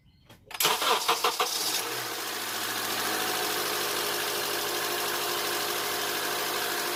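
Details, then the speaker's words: 2007 Honda Accord 2.4 DOHC after timing chain replacement with Melling kit: starter cranks briefly, catches cleanly and settles into even smooth idle, no ticking or rattle, no check engine light; engine sounds healthy. "Sounds good, no check engine light. We'll get it up to temperature and we'll change the oil."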